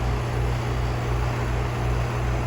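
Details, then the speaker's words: Rheem R-410A condenser after installing new warranty fan blade: smooth, steady low hum with a gentle fan pulse, no rattle or shaking, unlike the whole condenser shaking before; normal running. "There we go. A lot better. Before it was, man, this whole condenser was just shaking."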